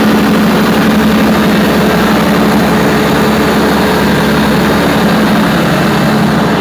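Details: Perkins 4012 diesel after general overhaul, pre-lubricated before start, during load testing; steady even drone under load with no knocks, misses or hunting, running healthy.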